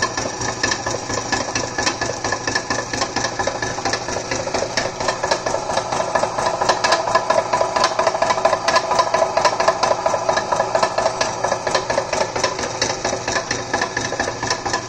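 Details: Millrite MV1 milling machine spindle running with a steady hum and a fast, fairly even rattling tick about twice a second; owner wonders if it indicates a spindle problem, cause unconfirmed.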